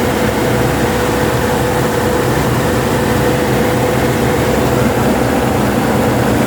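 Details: 2017 Nissan NV350 van after its no-start problem was solved, engine idling steadily and evenly with no knocks, misses or squeals; sounds healthy.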